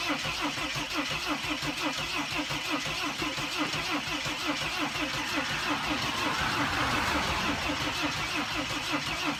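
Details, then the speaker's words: 2006 Mercedes Sprinter T1N diesel van that won't start, control module reattached: starter churns in a steady beat about three per second, almost catches but never fires; crank no start. "I mean it almost started up with like it almost sounded like it wanted to start working"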